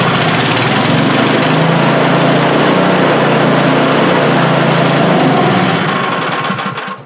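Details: Craftsman snowblower small engine, warming up with the choke being moved: roars steadily for about six seconds, then stumbles and dies; it was also out of fuel; suspected gummed, stuck float needle causing fuel starvation.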